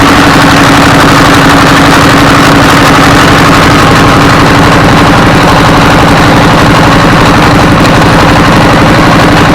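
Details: Diesel S1115 24 hp single-cylinder after replacing injector assembly and injection pump, cranked by hand: loud, even thumping at a steady beat with no misses, surging or hunting; runs normally.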